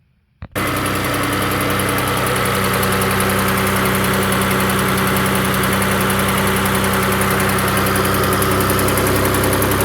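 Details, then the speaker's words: Engine at idle, owner testing Lucas heavy duty oil stabilizer: ticky sound on cold start changes to a dull, fairly regular knock, about three or four per second, over the engine hum; source not pinned down. "so when it cold starts it's got kind of a Ticky sound then that stops and then goes more of a knocky sound like we hear now"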